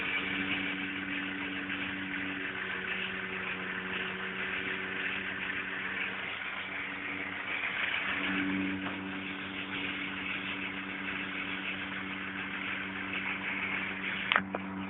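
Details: VW Polo 1.2 three-cylinder petrol idling unevenly with a lumpy, stumbling misfire beat; attributed to a faulty coil pack.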